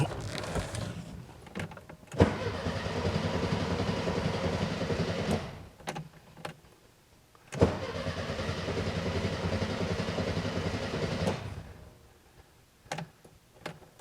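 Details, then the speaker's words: 1978 fuel-injected VW Super Beetle: two long bouts of steady starter cranking at about 3.5 turns a second, never catching; spark confirmed, owner suspects fuel delivery or flooding; crank no start. "I have no idea let me check a few more things but it should at least light off cuz it's getting spark"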